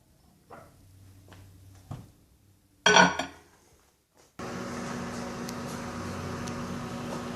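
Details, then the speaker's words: Frigidaire over-the-range microwave that would not heat, after replacing a faulty door switch: clatter then a steady even low hum as it times down; normal microwave operation, water then heats. "Oh, yeah. I can hear it running. It's timing down."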